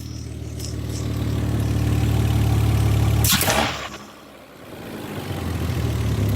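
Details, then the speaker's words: Mazda MX-3 with swapped KL 2.5L V6, Millenia intake and throttle body, after adjusting TPS, idle set screw and ignition timing: even, steady low idle drone, brief dip near end; idling smoothly, about all right. "until you have your idle set correctly here we are we are idling about all right plenty of exhaust lease"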